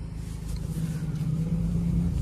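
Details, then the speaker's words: 2011 Chevrolet Cruze 1.6 manual, engine running and smelling of burnt oil: steady low whine from the power steering, steering wheel very heavy to turn, pointing to a straining power steering pump. "слышим что воет руль тяжело поворачивается само рулевое колесо у нас очень сильно"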